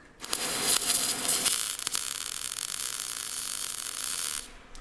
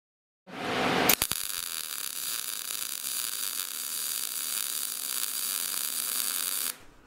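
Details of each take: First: MIG welder, short-circuit gas welding, wire speed raised from too slow but still slightly too slow for the voltage setting: hissy, crackling arc with uneven sputter instead of a steady buzz. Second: Short-circuit MIG weld with shielding gas: steady, even frying buzz after wire speed was raised from too slow, back at the earlier procedure's final setting to match voltage.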